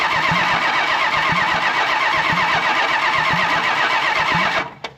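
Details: 1968 Plymouth Road Runner with a 440 V8 (block tag suggests about 1978), no headers or manifolds, cranked via jumped relay to build oil pressure: steady starter churn about 2.5 turns a second, no firing; engine turns freely, oil pressure appears.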